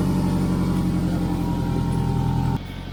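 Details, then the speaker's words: Loud low chuffing puffs and a rough pulsing roar at idle from under the car, from exhaust escaping where the rear muffler-to-forward-pipe joint has broken off completely; exhaust leak, to be fixed with a clamping joint and exhaust mounting paste. "this seems to be leaking exhaust between the back pipe system and the middle pipe"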